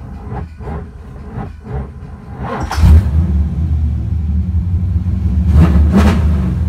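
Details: LSX engine with a hot-start problem that previously cranked barely a quarter turn and never started: hot, it now cranks a few slow, laboured turns, catches within seconds and runs on a deep, steady rumble with blips. Charging voltage still seems low.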